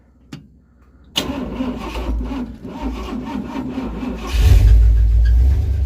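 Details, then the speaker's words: 1968 Dodge W200 Power Wagon, big block 383 V8, carburetor, restarted after sitting; catches after cranking then runs lumpy and uneven, surging and nearly stalling; rough running, owners fear it might be toast, cause unclear. "well you think she might be toast no it sounds pretty bad doesn't it it almost fell there that's well not what I would call good but it did run"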